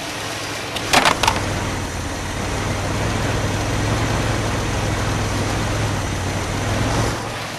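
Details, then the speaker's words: Freshly swapped 403 V8 in a G-Body, first-ever start after rainwater was cleared from the engine: starter bursts, then it catches and settles into a smooth even idle with a faint light ticking; owner suspects a lifter tick that should go away. "it runs smooth damn this is the first time starting this thing and it runs offw the smooth sounds like a little bit of a lifter tick that should go away"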